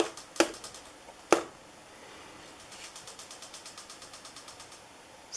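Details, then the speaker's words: 1980s Moss WF Series 132 cm ceiling fan, made in Hong Kong, on high speed (about 160 rpm estimated): light regular ticking about nine times a second in a quiet room, caused by the textured paint finish. "so one of the annoying things about this uh this sort of textured paint is that when the fan is spinning much faster it makes a little clicking sound because of this this product it will make that little sound that you hear now"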